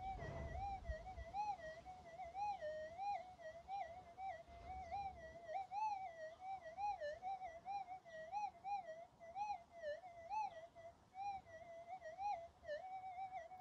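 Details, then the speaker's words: Minelab GPZ 7000 metal detector in a backyard near power lines and household appliances. A warbling tone drifts up and down with no target present: electrical interference, which the user suspects comes from a TV in the next room. "let's try the six we can hear that noise I think it's a TV on the in the room behind me"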